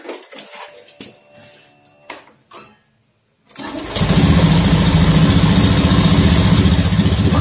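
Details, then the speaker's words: Honda Beat FI scooter after its dirty CKP sensor was cleaned with compressed air: it starts promptly and settles into a steady, even idle without misfire or stumble; the sensor was only dirty, not faulty. "Oke lancar Ya nggak ada masalah di ckp nya ya cuma kotor aja ya"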